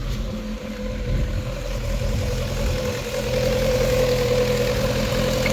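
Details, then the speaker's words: Rover 25 GTI 1.8 L VVC with high rough idle, over-fuelling, fuel smell, white smoke; suspected IACV or head gasket: uneven hunting idle with wavering drone, staying high as it warms; rough idle. "Yeah, I don't think this has worked. I'll give it a minute or two. Should we check the back? It's not happy."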